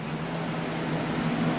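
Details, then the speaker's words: HP Evo D530 CMT desktop PC at power-up, before BIOS: steady loud whooshing hum with a low drone from a noisy cooling fan. "So here we go, let's fire it up. There's a noisy fan."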